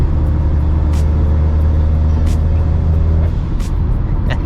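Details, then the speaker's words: 2008 Acura RDX daily driver with downpipe, intake, blow-off valve, Hondata base-map tune and ATLP cat-back exhaust: steady low one-pitch boom while cruising over road noise, raspy weed-whacker-like tone from catless downpipe; exhaust drone, before high-flow cat and resonator install. "So, I if you've seen the exhaust install, you'll remember I mentioned that this exhaust tends to be raspy with a catless downpipe. And yeah, it is. Um, it's not like a tin can rasp or anything, but it just sounds really weed whacker like."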